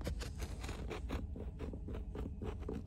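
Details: Tesla Model Y driver's seat, back plastic panel removed and plastic caps turned about 180 degrees: short dry creaks and scrapes repeat several times a second as the seat is rocked; one side still creaks, its cap may need turning again.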